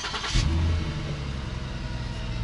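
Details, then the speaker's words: 2009 Lincoln MKS V6, 197,274 miles: starts into a loud, deep rumbling idle like a Mustang, even louder under throttle when driving. Exhaust leak, to be sealed without welding using exhaust putty, tape or a clamp. "you hear that it's really loud it almost sounds like a mustang and not only does it sound bad especially when you're driving when you put gas on it you can definitely hear the sound of the exhaust leak"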